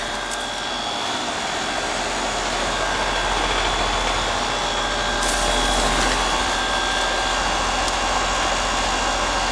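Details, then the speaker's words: About 6-year-old heat pump in heat mode on a cold day, after a rotted liquid line drier was replaced and refrigerant restored: steady fan whoosh over smooth compressor hum, no knocks; suction about 61, acceptable, recheck on a warm day. "I'm going in about 110, that ain't so bad. Suction pressure is about almost 61. It's acceptable."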